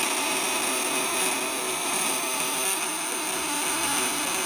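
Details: Vibrator-contact inverter, 1 kg core, on a 1000 W load with contacts tightened and rubber-banded against vibration, output stated over 50%: strong, steady high-pitched buzz without stuttering or dropouts; working normally.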